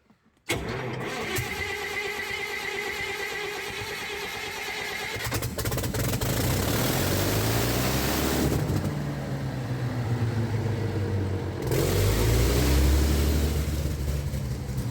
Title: Cummins diesel generator starting problem